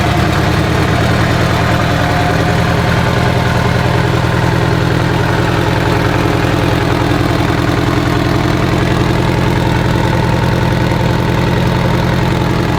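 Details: Abandoned Mitsubishi Evo 8 being built for 800whp, first start without radiator or coolant: steady even low idle with smooth regular beat, no knocks or ticks; normal idle.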